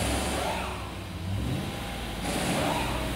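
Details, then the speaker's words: 2011 Chevy truck with codes P0521/P0523 and a low oil pressure reading of about 15 psi, with the oil level very low: engine revs and settles smoothly with no ticking, rattle or knock. Low oil without audible rattle; oil pressure switch suspected. "doesn't sound like it's starving for oh no it doesn't sound like it's rattling or anything like that so this indicates an oil pressure switch issue"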